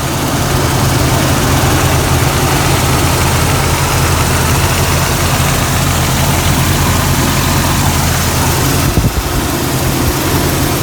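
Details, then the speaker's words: 1999 Jeep Cherokee XJ 4.0 inline-six, 60,000 miles on old copper plugs, slightly below operating temperature, idling about 800-825 rpm: smooth, even low hum, no knocks, misses or ticks; runs great. "Now the Jeep runs great. It has, and that's one reason I haven't replaced the plugs."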